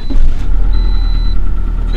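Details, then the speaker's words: Toyota RAV4 on a trailer in a Michigan winter, which had failed to start after a suspected run-out of gas, with no stored or pending codes: now running with four gallons added, about a quarter tank, idling before warm-up with a smooth, even low rumble. "she's running showing about a quarter of a tank there we added four gallons to it let's let it warm up some"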